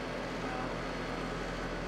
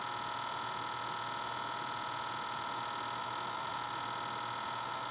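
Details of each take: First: Trane HVAC outdoor unit running after a new defrost board was fitted: steady hum with fan rush, no knocks; head pressure about 200, suction about 55–60, outside temperature low 50s. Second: Trane outdoor HVAC unit restarted during service: steady electrical buzz with a faint rapid rattle as the contactor chatters.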